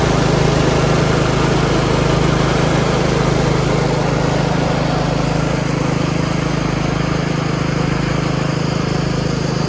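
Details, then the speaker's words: Yard Machines 38" riding mower, 13.5 HP Tecumseh, after fixing slow cranking and no-start: a steady, even low drone with a regular beat of about 220 per minute, no misses or surging. Smooth normal running, charging at 13.5 volts. "oh come on thank you another tractor going and I got it for free"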